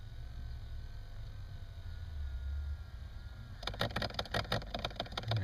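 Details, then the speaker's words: 2007 Toyota FJ Cruiser, behind the passenger-side dash near the radio: about thirty seconds after key-off, quick dry clicks as one of three damper actuators drives to its park position. This cycle happens every shutdown and is suspected to wear this actuator. "we're going to shut the key off and what this does is after about thirty seconds or whatever after you touch shut the key off it'll go into a closed State and it does this every time you every time you shut the car off"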